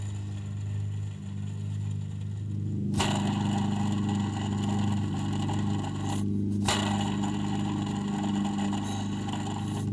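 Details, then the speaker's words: 2020 Ford F-350 Super Duty 7.3L gas V8, belt off, idler pulley spun by hand: gritty, scraping rattle in spurts over a low hum, bearing has play; worn idler pulley bearing, to be replaced. "This bearing is definitely making some noise. I don't know if it's a squeak. This is more of just like a rattling bearing sound, and it's definitely, it has some play, if you can see that there."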